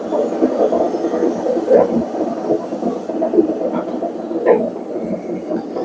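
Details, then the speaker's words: Vestel/Seg/Regal/Finlux washing machine in test mode, high-speed spin: loud, throbbing rumble with a gritty edge from a faulty drum bearing. "ilk önce arkadaşlar yüksek bir sıkma yapacak bu makinemiz bayağı ses yaptı bilyesinde arıza var Eee Bu bilye hatalı makinede sizlere video çekiyoruz şu an bilye ses yapıyor"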